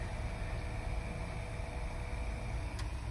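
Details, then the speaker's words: 1963 Mercedes W111 220SEb convertible under restoration, engine not running: faint steady electric hum and thin whine as the fuel pump spins with nothing circulating; tank ran out of fuel, to be topped up. "I can hear the fuel pump but nothing's circulating so I run out of fuel let me top it up"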